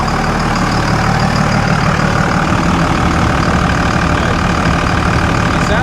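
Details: 2000 Dodge Ram 3500 5.9L 24V Cummins, mechanical injection, new injectors, rebuilt transmission; steady, even diesel clatter at idle with no misses, knocks or hunting; healthy, though noted as idling high.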